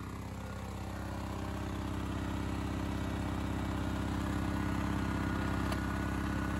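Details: Honda EX1000 single-cylinder suitcase generator under load, choke believed now switched off (owner thinks it was on choke before): steady, even beat, no surging or misfire. Normal running under load.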